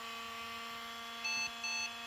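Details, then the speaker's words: 2005 IBM ThinkPad R52 1846-A59 laptop (built Feb 2006, Pentium M, 1 GB RAM, 60 GB IDE HDD), found in a recycling area, first power-on: very loud constant whirring cooling fan with steady whine, then two boot beeps for a fan error. "전원을 한번 켜 볼게요 켜자마자 펜 소이 엄청 큰데 어 심각하네요"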